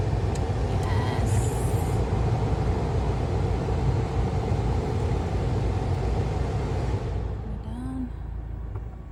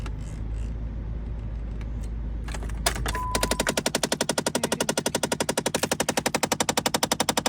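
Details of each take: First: Jeep Compass after replacing the HVAC blend door actuator (old one had a cracked gear with missing teeth), air turned on: steady low engine and fan hum with no knocking or ticking from behind the dash. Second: Jeep Compass with a knocking, clickety-clack sound in the dash: a sharp, even clacking of about four clicks a second from behind the dash. The HVAC blend door actuator had a cracked gear wheel with missing teeth and was replaced.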